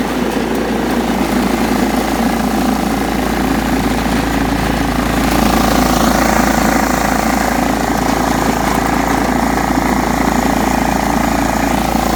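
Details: John Deere STX 38 riding mower, revived with a new battery: steady, even drone holding speed under mowing load, no knocks or misses; normal running.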